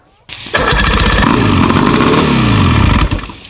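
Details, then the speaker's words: One of a pair of 50-year-old OMC 50 two-stroke outboards, stored 5+ years and run on water muffs, choke applied, in neutral: cranks briefly, catches at once with a raspy, rising buzz, then eases down. It was not pumping water. Clean cold start. "But boy, that lit right off, didn't it? Not too bad for 7, 8 years."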